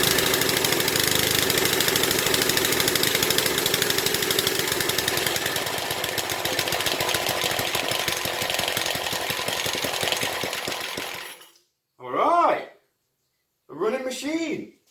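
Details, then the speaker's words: 1970s Briggs and Stratton single-cylinder rotavator engine, revived after about 3-4 years unused, at full throttle: runs steadily with an even quick firing beat about eleven seconds before cutting off; running. "Fantastic. One more time. What a beast! There we go, running and working, sort of."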